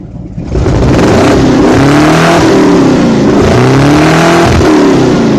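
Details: Lexus SC400 V8 exhaust revving loudly with an uneven, stumbling pulse from an engine misfire.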